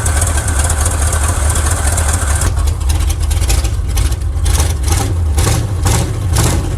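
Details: 1979 Chevrolet C10 Custom Deluxe V8 after dropping in the coil, timing believed correct, no blue smoke: deep uneven idle with a stumbling beat and irregular puffs; misfire on several cylinders, root cause not found.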